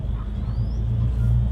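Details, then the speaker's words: Two FPT NEF 450 marine diesels repowering an Ocean Alexander 46, in warm-up mode held at 1200 rpm: low, even rumble, no knocks or misses; normal fast idle. "there you go you can see we're currently sitting at 1200 rpm on both engines and having a conversation really nicely"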